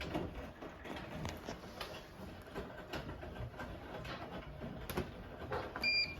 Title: Bosch Serie 4 WTN83200GB/01 making some strange noise